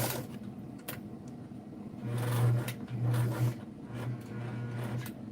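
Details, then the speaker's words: White zigzag sewing machine Model 782, needle removed, after cleaning: low motor hum with faint scraping when the pedal is pressed, from inside; cause unknown, owner considering a tune-up. "But see, I'm pressing on it and I'm hearing something. Sounds like something needs there's some scraping going on. So that's something that's coming from in here and I cannot fix that."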